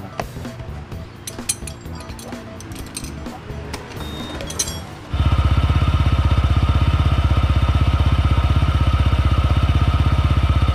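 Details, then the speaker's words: Honda PCX 160 CVT running after fitting Honda Click 150 slider pieces to cure a morning scraping noise near the pulley; steady even beat, about four pulses a second, no rattle, noise gone. "eog lang mga amigo nawala yung ingay niyo doon sa may malapit sa pulley natin na wala"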